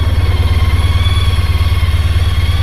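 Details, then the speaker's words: Honda ST1300 touring motorcycle at the end of a ride: a deep, even, low pulsing idle with no knocks, misses or rattles. It sounds like a smooth, healthy engine. "I finally understand now what people are talking about these are super smooth machines super smooth crazy what a hell of a machine"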